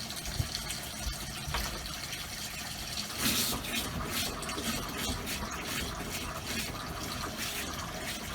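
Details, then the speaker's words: Motorhome habitation water system after installing new Shurflo pump, running the bathroom tap: water rush with irregular spits and gurgles; air still purging from the line. "Yeah, still a bit of air there too."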